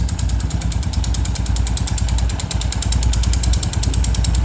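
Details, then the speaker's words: Honda Pop 110i single-cylinder at idle: fast, light metallic ticking over steady idle from a coin lodged against the engine; loose coin rattle, engine itself fine. "Pense aí a moeda caiu daqui de dentro na hora de trocar o dinheiro com o frentista do posto rolou e ficou aqui"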